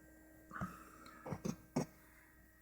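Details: Excessive pump hum from a new Corsair H60 (2013, v2) liquid cooler, pump on the CPU header, all fans disconnected, SSD-only PC, recorded on a phone: steady, fairly high electric hum audible across the room, with handling clicks. The owner suspects the pump is too loud.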